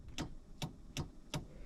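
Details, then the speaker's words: SJM line lock just installed on a Caprice PPV (also applies to Pontiac G8), key on and toggle switched on, button pressed: four crisp, even clicks from the solenoid under the hood; the line lock works normally. "And if I press that, I can hear the solenoid actually clicking under the hood, which means that it is working. That is awesome."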